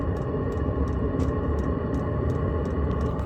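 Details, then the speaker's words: HCALORY 8 kW diesel heater on a 12-volt battery just after ignition, little smoke: soft steady burner rumble with crisp fuel-pump tick about three times a second; running normally. "Got very little smoke, as you guys might be able to hear."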